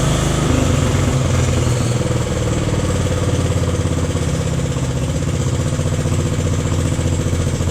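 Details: Jacobsen Chief 1000 tractor, Kohler single-cylinder (K241 fuel system work), after draining gas and new fuel line: steady even thump at fast idle, no misses or knocks; took a few cranks to get gas flowing, runs cleanly.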